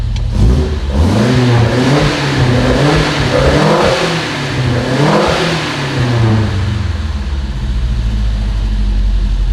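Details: Volvo 145 on Weber carburetors, back on the ground with brakes fixed and Webers seemingly in tune, warming up: smooth throttle blips up and down, picking up cleanly with no stumble or misfire, returning to an even idle.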